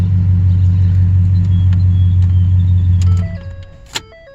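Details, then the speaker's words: 2013 Ford F150 after ignition switch replacement for random no-start and dead battery (ForScan code B10F1-14): steady low, even engine hum for about three seconds, then shut off. Normal start and idle. "but just showing that she runs she runs so so at least we know that part works"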